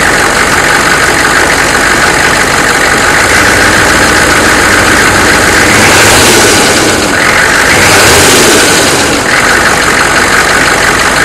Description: 1993 chevy Dually Diesel 6.5L Turbo 4x4, Startup without block heater and revving engine. You should hear a engine knock of some kind.